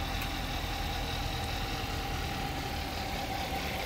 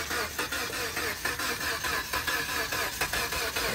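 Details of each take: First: Kia at police auction, broken-in lock, started on jump using pliers; soft even idle hum, very quiet, no knocks or misses, normal idle. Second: 2013 Chrysler 200 with 2.4 L engine at a police impound auction, jump box connected: starter cranks repeatedly with uneven pulses but the engine never catches or fires, cranking but not starting.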